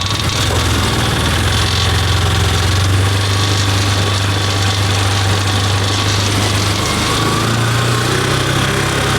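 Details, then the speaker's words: Can-Am Commander side-by-side after transmission rebuild with new gears, new differentials and CV axles, test drive in high gear where the fault was: smooth, steady engine drone, no clunks or grinding; transmission working properly. "We're good. It's working like it's supposed to."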